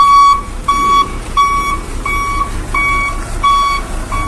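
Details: Hino Vector tronton dump truck reversing in a tight space: clear high beeps about once every 0.7 seconds over a low diesel rumble; the back-up alarm is working as it should.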